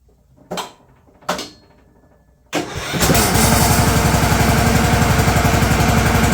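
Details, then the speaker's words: Craftsman ZTS 7500 zero-turn mower, 688 hours, after new deck pulleys fitted: two clicks, then engine catches and runs a steady even beat near four per second with blades engaged via electric PTO; sounds healthy. "Engage the blade, electric PTO. Okay. This thing has 688 hours on it. Seems good."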